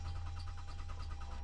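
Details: 2013 Toyota Avalon crank-no-start from auction, security light off: even, rapid cranking rhythm with no cylinder catching; compression sounds even, no-start traced to fuel pump not running.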